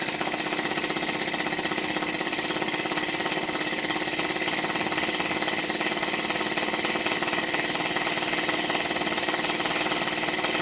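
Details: Small hobby-built model engine warming up: fast rough chuffing ticks with no clean beat; slide valve apparently bumped and sitting out of square, so it runs poorly.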